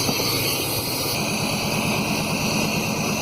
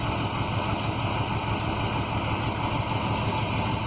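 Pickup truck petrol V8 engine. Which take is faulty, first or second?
first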